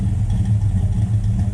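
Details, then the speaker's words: Buick Skylark carbureted V8 after carb work, idle set, mixture screws about two turns out: steady even low rumble with smooth regular beat, no misses or knocks; idling normally, fuel leaks and rear float level still to fix. "mixer screws are all right about two turns out yeah running pretty good"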